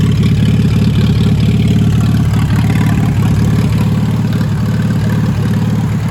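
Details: "Minnie" tractor just restarted after a long time and a water-jacket bushing/capillary repair: a loud open exhaust with a steady, deep chuffing idle and no knocks or misses. Good oil pressure, but the charging system isn't charging. Normal idle.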